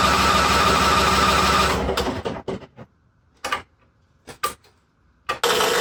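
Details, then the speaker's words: International Harvester Cub Cadet 1641 lawn tractor, unstarted about 10-15 years, fresh gas, dead battery aided by jump pack and charger: steady churning then short cranking bursts, never catches; owner suspects no fuel getting through; crank no start, jump pack run down. "It's like it's not getting fuel. Yeah. So, it's it's run the battery pack down now."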